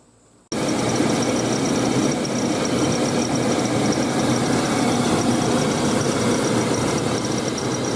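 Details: Engine at idle before belt and tensioner replacement: engine catches, then a thin high squeal sits steadily over the idle without changing; slipping serpentine belt or worn tensioner.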